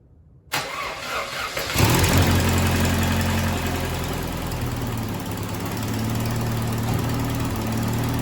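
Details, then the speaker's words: 1994 Saturn SC2 first cold start after head gasket replacement due to overheating: catches after a few cranks, steady idle with light fast ticking, more than usual for the first minute or so after startup. "The engine sounds like it ticks more than usual, at least during the first minute or so after startup."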